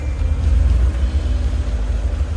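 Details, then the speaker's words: 1941 Ford truck flathead V8, started after six years of sitting once the wiring connections were cleaned, choke used; a deep low rumble that swells quickly and settles as the throttle is blipped. Crisp, healthy throttle response. "I'm impressed with this flathead Ford V8 it runs better than that old 68 Ford sitting out there responsive I'll tell you what you blip the throttle and it's right there"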